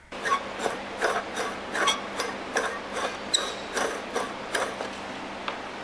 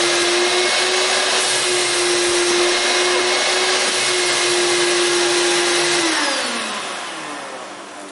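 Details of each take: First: Squealing, hot-smelling shop vac motor spun by hand before repair. Gritty scraping rasps about once a second from dry bearings and rust; fixed by greasing the bearings and cleaning off rust. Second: Shop vac after repair (bearings greased, rust cleaned off motor); it had been squealing and smelling hot before. Now a steady, clean motor whine and air rush with good suction, then a smooth spin-down when switched off.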